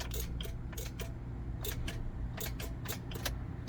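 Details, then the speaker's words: 2008 Honda Element: turning the key gives rapid uneven clicking with no cranking; starter being tested, battery also considered, cause not confirmed. "if you guys hear that it's making like a clicking sound sometimes the stars will make no noise most of the times a clicking noise or it can kind of crank a little bit but very weak rank in this case we are getting that clicking sound"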